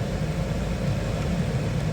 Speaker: That is on high. Nice and quiet. The only noise is the air moving